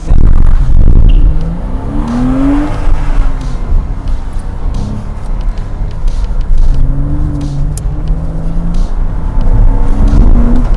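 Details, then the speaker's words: 2007 Porsche Cayman flat-six, owned 4 years, hard-acceleration autosolo run at Goodwood after an earlier misfire was repaired: strong smooth climb through each gear with clean shifts, no misfire or stumble; healthy engine. "probably junk in the whole scheme of things but who cares this is so much fun good car yeah nothing wrong with this"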